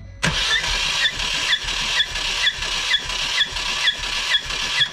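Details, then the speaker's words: Ford Fiesta ST180 with blown engine, oil in intake, compression test while cranking: even starter beat near two per second, no stumble; about 140 psi on this cylinder, unlike the one with no compression. "so we've got about 140 psi."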